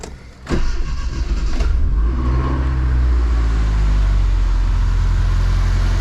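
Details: Dodge Shelby GLHS with the Chrysler 2.2 Turbo, after a nearly new fuel pump that fails at random began working again: short crank, then catches at once into a smooth, steady, even idle.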